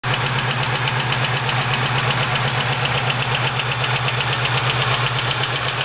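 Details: GM 3800 V6 idling with a steady, sharp engine knock repeating about four times a second over the engine hum.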